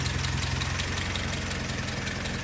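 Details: Willys Jeep four-cylinder petrol engine, restarted after nearly 15 years unused, left to warm up outdoors: steady low even rumble without misses or knocking; normal warm-up idle.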